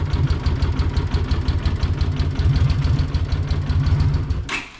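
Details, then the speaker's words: 43-year-old Honda GL500 Silverwing at idle after valve adjustment on both sides: a steady, even low idle with a smooth pulse, and the earlier valve rattle is gone. Some carburetor issues are still suspected. "There is no more rattle. That valve adjustment is where the rattle was coming from. Yay! No more rattle."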